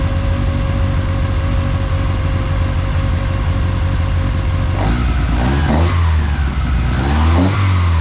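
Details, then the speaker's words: Toyota Altezza 3S-GE Beams with individual throttle bodies and Haltech Elite 550, first startup, basic tune, recorded from front of car; even deep idle, intake rush, crisp blips, running slightly rich, good oil pressure. "it sounds great it's running a little rich just got to put a tune in it"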